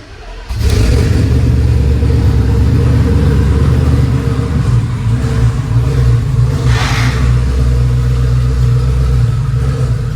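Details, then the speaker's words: Ford F150 with a twin-turbo Gen 2 Coyote V8, fresh FFRE Stage 3 short block with Head Games heads, at its first startup after the build. It catches instantly and settles into a firm, even rumble with no knocks. This is a healthy start and idle. "But long story short, it started. It sounded so good."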